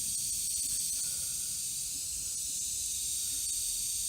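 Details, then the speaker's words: Kegerator under an air pressure leak test before an R134a recharge: steady high, airy hiss with no mechanical rhythm, air escaping at the bullet piercing valve; owner suspects its needle is pushed in too far. "so I pump the air into it but then I noticed that this thing itself was leaking air straight out"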